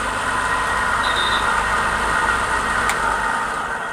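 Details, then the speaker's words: Pedestal stand fan after repairing a loose, noisy bearing without replacing it; smooth, even hum with no rattle or grinding, then cleanly switched off; normal running after repair. "कि यह लिखित में कोई दिक्कत नहीं आराम से चल रहा है अच्छा"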